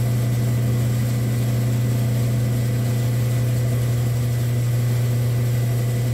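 Steady, even low hum with no knocks, surges or changes in pitch; the saw motor is running smoothly and sounds healthy.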